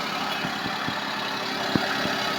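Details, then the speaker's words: Suzuki Palette wagon started from cold, steady idle with soft low pulses and no belt squeal; belt noise absent. "belt niya. So galing sa malamig inaandar natin. Hindi lang siya tumunog."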